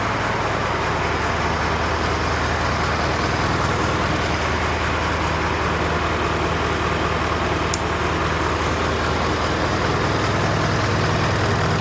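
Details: John Deere 401C diesel at low idle in neutral, with a cracked block and suspected liner O-ring leaks. Loping beat about 2.5 lumps a second. By touch, cylinders 1–3 are hot (3 slightly less) but 4 is stone cold: a dead cylinder from a faulty injector.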